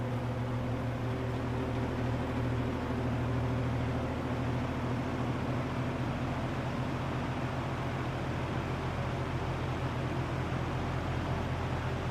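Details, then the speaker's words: 1963 GE F15W13 electrically reversible all-metal three-speed box fan on medium, reversed direction; steady even air whoosh with a low constant motor hum, no ticking or rubbing, running at its normal medium RPM. "It sounds like it's running about its normal medium RPM."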